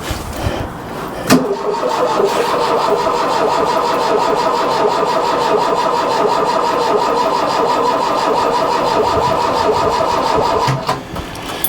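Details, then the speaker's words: Mk1 Ford Fiesta Ghia 1.1 carburettor barn find, cold, cranking with the choke pulled and two throttle pumps but never firing; later blamed on a slightly seized choke cable leaving the butterfly not fully closed, plus the plugs. "I would say it was a combination for all of the plugs yeah um and the choke and the choke because the the choke cable is slightly seized"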